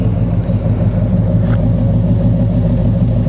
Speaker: She sounds good, man.